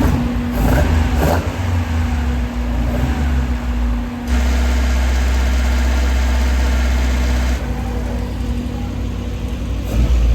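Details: Vauxhall Corsa B with rebuilt C20XE engine on carburettors, on the dyno after carb tuning: strong, even engine note holding steady, stepping up under load and dropping back; clean and smooth, no leaks, making 210 horsepower; healthy run.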